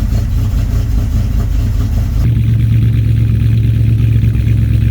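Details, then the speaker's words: Big-block Ford V8 with 750 CFM Brawler carburetor, cold start in freezing weather with choke set, in neutral: blips then drops to a shaky, uneven idle with a low drone; still flooded, given a little throttle to clear out. "Oh, still flooded. Come on, baby. Still a little rough. I'm going to give it just a little bit of gas and try to get it to clear out."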